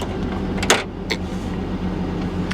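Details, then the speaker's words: 1999 GMC Sierra V8 with 204,000 miles, just started and idling with ABS and brake lights on: a low, steady, single-pitch whine over the idle, a slight power steering pump whine. "Fired right up. Of course it did. Of course it did. Here, a little bit of a power steering whine."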